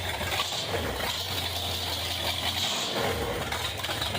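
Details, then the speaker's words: 1963 Plymouth Belvedere wagon, just revived, exhaust cut open with no muffler: loud raw open-pipe idle, steady low burble with hiss and rasp; engine runs evenly and sounds healthy. "I think it's it sounds good enough just to have it cut right there. Yeah. Hell, we don't need no exhaust."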